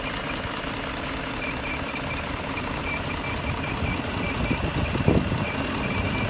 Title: BMW E38 M62B44TU strange noises